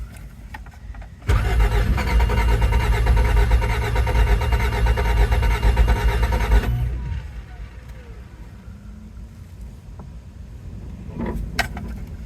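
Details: 1987 Toyota MR2 after sitting, cranked on a makeshift battery: the starter spins the engine at an even pace for about five seconds but it never fires. Low or bad gas is suspected, unconfirmed. Crank, no start.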